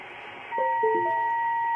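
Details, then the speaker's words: Ham radio receiver on 80 meters after the toroid choke is removed and the Anet A6 3D printer's USB cable is plugged back in: a few short blips, then a steady high tone sits constantly; unchoked USB cable radiating interference. "so if you're having problems you can't figure out where the noise is coming from you may have some USB"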